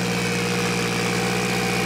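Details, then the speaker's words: Mitsubishi Evo 8 4G63T first start after engine rebuild, on the lift without the fourth mount: steady, fast, even idle well above normal; high idle from an air leak, an unconnected hose found. "There's an air leak somewhere. An air leak somewhere? How can you tell? Because it should idle normal. Oh, is that why it's idling high?"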